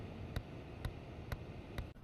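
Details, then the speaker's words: Seat Ibiza diesel, possibly the 1.6 CAYC, with the heater blower on full and the glovebox removed: regular dull thumps over the fan roar from the heater flap actuator, whose broken cog makes the gears stick. "The fan, but if I turn it on, it does turn on. If I turn that on full, you can hear that thumping."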